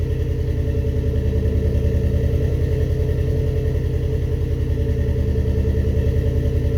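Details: First start-up after rebuilding the cylinder heads: steady low idle with an even, regular beat and no obvious knocks or stumbles over the background hum; normal idle.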